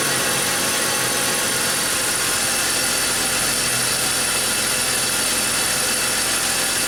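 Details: BMW X5 with ongoing misfire, probed with ignition and crankcase-ventilation pressure sensors: even idle under heavy hiss, no misses, stumbles or hunting; car now running perfectly, cause of earlier misfire unclear.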